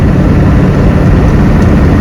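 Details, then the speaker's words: 1986 Ford F350, non-turbo 6.9 IDI diesel, 4-speed manual, cruising about 55 mph, temperature normal, half tank: deep, even diesel drone with heavy road and cab rumble, no knocks or misses; normal highway cruise. "Definitely needs another gear. We have a 4-speed manual. And we feel pretty maxed out around 55, 60."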